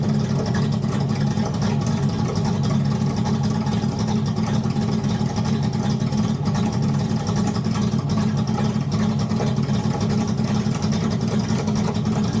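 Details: Turbocharged Ford flathead V8 at first startup after running out of fuel: loud, dense low rumble with a lumpy, uneven beat; runs rough and still needs more ignition timing and tuning, possibly fresh E85 fuel.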